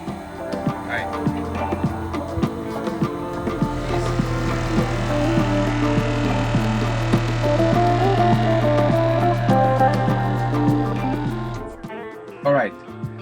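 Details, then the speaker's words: DIY off-grid fresh water system in a camper van, water pump on its own circuit: a steady low drone with an even pulsing beat, then a clean stop at about 45 PSI cutoff; pump pressurizing normally. "It's the only thing connected to this circuit. So let's turn it on and we should immediately hear the pump working."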